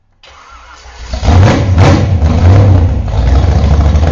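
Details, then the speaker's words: Freshly rebuilt 1968 Z/28 302 V8 with new Comp Cams flat-tappet 30-30 Duntov nostalgia cam, headers, light break-in valve springs, first start: starter whirs, engine catches and surges into a loud uneven lumpy run; idle not yet set. "course I haven't even set the idle yet because we just got it running"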